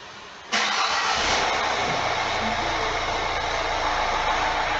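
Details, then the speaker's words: Mini Cooper diesel during ISTA diagnosis, oil found in intake, compression test considered for a possible melted piston: short crank, then steady, even diesel clatter with no missing beats, engine sounding on all four cylinders; normal start and idle. "Ar trebui să facem totuși un test de compresie, să nu cumva să avem vreo surpriză, să avem vreun piston topit, deși motorul se aude din patru pistoni totuși."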